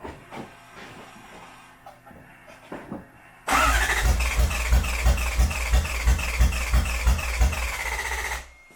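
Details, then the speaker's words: Toyota 1UZ V8 swapped Cressida, after refitting the tank and fitting a new battery: starter churns with steady, even compression pulses about three a second but never catches; owner suspects only one bank firing, driver's-side plugs flooded. "all right so it still won't fire um it's trying to fire but it sounds like it's only like one side's firing"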